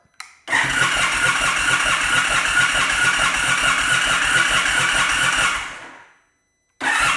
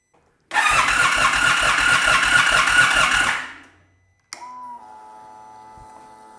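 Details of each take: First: 2022 Indian Super Chief ABS motorcycle, crank-no-start: two five-second bursts of even starter cranking, about two beats a second, never catching; crankshaft position sensor fault made the ECM cut fuel pump priming and spark. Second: 2022 Indian Super Chief ABS no-start, after reconnecting the crankshaft position sensor plug: about three seconds of steady, even starter cranking, then quiet fuel pump whine priming as engine revolution is detected; normal cranking before it starts.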